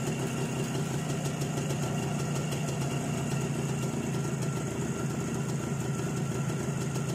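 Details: ČZ 175/450 two-stroke motorcycle, first real start after fitting a Vape 6V contactless ignition (SZ14): even idle with a quick crackly beat and steady pitch, no misfires; ignition firing cleanly, normal idle.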